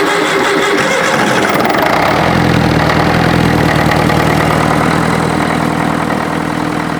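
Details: International Harvester 554 diesel tractor after about five years sitting, started on ether without bleeding: catches within two seconds into steady, even idle, running clean, starting to smoke a bit; air filter cover off so induction noise audible.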